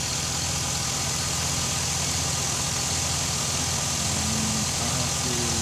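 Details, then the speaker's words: Chevy SSR idling after a new cooling fan was installed, fan on high: steady idle with an even low beat under a soft fan hiss, no whine or rattle. Very quiet, about the same as the original; normal. "check and seey can't hear it very quiet real the hand the fan is on high the same about the same as the original compressor came"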